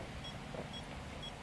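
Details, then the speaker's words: OKM Bionic X4 long-range gold detector with Android smartphone, calibration knob turned to 255 (too high); short high clean beeps about twice a second over faint hum, absent at low setting 81; calibration-too-high warning beep. "but as you can now hear there is no more beeping when it is very high then you can hear the beeping"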